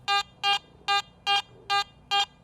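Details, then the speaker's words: Garrett AT Max International metal detector over a piece of foil: short, evenly spaced mid-pitched beeps, the mid tone given for target IDs 35–50. "a midtone is produced for items with digital Target IDs from 35 to 50 listen to this piece of foil in the"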